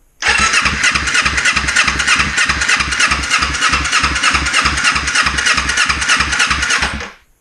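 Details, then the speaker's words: 2005 Kawasaki Ninja 250 after valve work, choke on: starter spins engine fast and even, about three turns a second, for seven seconds without catching; owner suspects it is out of fuel since the tank wasn't refilled. "It might be out of fuel. We didn't refill it, so might be bingo for fuel."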